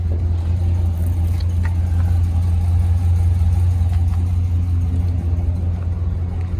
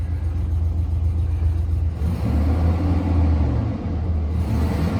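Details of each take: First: Auction 2004 GMC Sierra 2500HD 6.0 V8 4WD with broken exhaust manifold bolts leaking: deep idle with uneven, loping beat about three pulses a second that comes and goes; rough idle, owner suspects a cam, not confirmed. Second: 2004 GMC Sierra 2500HD 6.0 V8 4WD, sold as a non-runner, just started with three exhaust manifold bolts missing and no coolant: a deep, even low rumble with no ticking or puffing at the manifold; running smooth and quiet.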